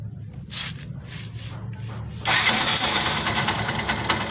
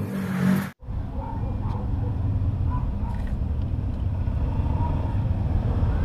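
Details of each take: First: Yamaha YTX motorcycle catching after cranking, then harsh metallic scraping and rattling at idle; found on the magneto side: the three bolts of the starter Bendix drive had snapped, and the bolts were replaced. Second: Yamaha YTX motorcycle after replacing three broken Bendix drive bolts behind the magneto-side cover: low, even engine putter at idle with no knocking or rattling; noise fixed, normal idle.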